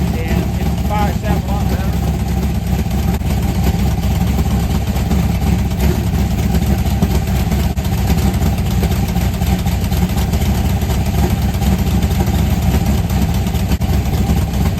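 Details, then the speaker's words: 1990 Lincoln Town Car, 5.0 V8 (1989 HO shortblock, 750 Holley, Anderson N4 cam, BBK long tubes, MSD 6AL), T-5 manual, fresh clutch: loud, choppy, rapid-fire rumble held steady at the two-step rev limit, crackling evenly without misses; strong, healthy, crispy. "Hot damn, that sounds like somebody that's ready to party, you know what I'm saying? Holy crap. That thing is crispy on the two-step, son of a biscuit."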